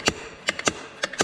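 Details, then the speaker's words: Yamaha YZ125 two-stroke, engine off, throttle worked by hand: crisp irregular clicks as the slide opens and closes freely, throttle in good condition; bike runs stuck wide open, jets good, owner suspects header pipe; normal throttle slide operation. "it's still doing the same thing where it's stuck wide open the throttle's in good condition you can uh you can hear"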